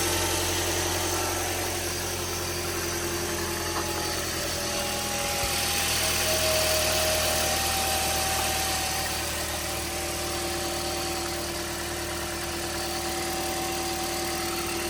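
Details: 2010 Toyota Corolla S after timing chain replacement: steady, even idle with smooth low hum and no knocks or ticks; engine running cleanly.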